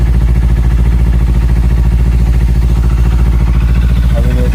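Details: Kawasaki Ninja 300 with tik-tik noise from the cam chain tensioner: after loosening and resetting the 10 mm bolt, smooth steady low idle with an even beat and no ticking; tensioner part faulty, ticks return when loosened.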